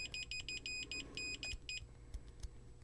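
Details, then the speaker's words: Continuity tester checking adjacent pins of a newly soldered output chip on an Orange Micro Terror amp for solder bridges: short, sharp high beeps in quick bursts as the probes touch; a beep between pins means a bridge. "If we hear this sound while we're checking one pin to the other, we'll know that we have an issue."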